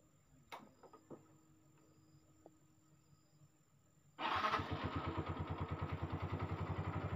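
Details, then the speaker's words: Yamaha Mio M3 125 injection scooter that was hard to start and stalled after a few metres, after replacing the injector: engine catches straight away and settles into an even single-cylinder idle about four beats a second; normal start and idle. "teman-teman motor langsung hidup tadi sebelumnya motornya susah sekali hidupnya teman-teman susah sekali sebelum kita ganti injektornya"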